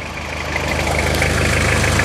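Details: Toyota Hilux SR5 2.8 diesel, 1999, just started first try on auxiliary battery charge (starting failure blamed on weak battery), engine has an oil leak: even diesel clatter at steady idle, regular firing, no misses or knocks; normal idle.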